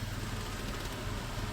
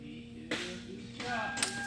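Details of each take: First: 1997 Toyota 4Runner, 5VZ-FE V6, 270,000 miles, code P0304: low idle rumble with an uneven, stumbling beat and engine shaking; cylinder 4 misfire, attributed to a failing plug wire. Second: 1997 Toyota 4Runner, 5VZ-FE V6, 270,000 miles, after repairing a cylinder 4 misfire (P0304) including new plug wires: engine catches and settles to an even, steady idle; earlier shaking and hesitation completely gone.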